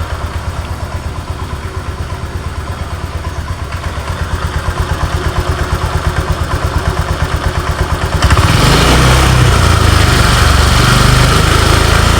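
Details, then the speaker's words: Honda Vario 125 scooter: rough, regular tak-tak knock at idle, about three per second, that smooths into an even drone once revved; knock only at idle. "jadi di sini ketika stasioner ketika langsam di sini bunyi tuh tak tak tak jelas kedengaran teman-teman ya kita dekatkan Oke mudah-mudahan jelas terdengar jadi suaranya mirip suaraang Pak ya Setak namun ketika motor ini digas atat RPM naik ini suaranya hilang"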